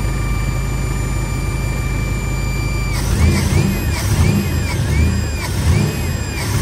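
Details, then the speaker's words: V8 idle after cleaning an Edelbrock 650 carburetor: thin steady whine over the idle, wobbling with rev blips; source unknown, owner wonders if related to the carburetor cleaning. "what the hell is that whining [Music] no y'all hear that whiny noise"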